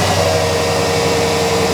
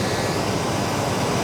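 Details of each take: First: Cold-start idle with the fan clutch locked: loud, steady rushing roar with a faint whine as the fan pulls a lot of air across the radiator while cold. Fan clutch engaged when it should freewheel; the fan clutch is being replaced. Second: 1989 Chevy K1500, warm engine idling, new severe-duty fan clutch: a loud, steady rush of air through the condenser and over the engine as the fan clutch locks up, far more airflow than the old clutch; normal engagement.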